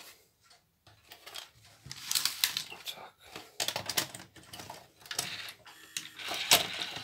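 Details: Shivaki VCR that ejected cassettes slowly, tested after replacing the stretched drive belt with one cut from a moped inner tube. Light clicks, whirring and clatter as the cassette draws in and seats without hesitation; loading now works normally.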